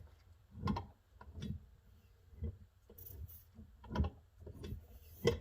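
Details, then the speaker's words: Daelim Trac moped engine, hand-turned with the reed valve off: slow, uneven hissing puffs about once each turn as compression squeezes out and air sucks back past a spark plug only threaded in a little, not tightened. "So spark plug is actually just like not tight, you know, it's just threaded in a little bit. You hear it squeezing."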